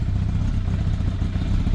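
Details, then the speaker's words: Yamaha FZR1000 Genesis after long storage, started cold with a jump box and full choke, with the fuel tap leaking: low, throbbing, lumpy idle with a loose clattery edge and an uneven beat. The owner expects it to settle once warm; cause unconfirmed. "That'll be alright once it's warmed up, I reckon."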